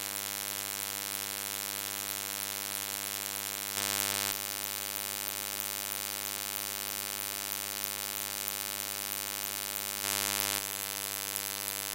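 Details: Recording made with ShadowPlay: constant low buzz with evenly spaced overtones, unchanged throughout, electrical hum bleeding into the recorded audio; cause unknown.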